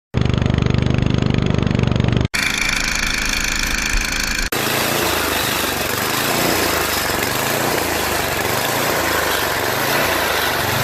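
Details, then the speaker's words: Tecumseh engine on a two-stage snow blower, run for a couple of minutes from electric start, surging and running rough with tremendous noisy vibration; clogged carburetor fuel jet suspected. "however it does surge quite a bit causing a the engine not to run smoothly and causing vibration tremendous vibration that you know makes a lot of noise"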